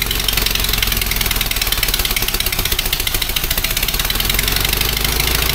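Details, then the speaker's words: Fiat 126p two-cylinder engine after valve clearance adjustment, just started; rapid, ragged putter with sharp crackle, owner thinks it is popping from the exhaust; exhaust popping, cause unconfirmed. "odpalił ogólnie pierdzi z wydechu chyba mi się wydaje"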